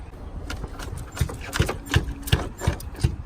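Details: Function and Form Type 2 coilover whose right-side top broke while driving, bolt missing: dull low thuds about every third of a second, each a loose metallic knock from the strut top where the coilover mount has broken.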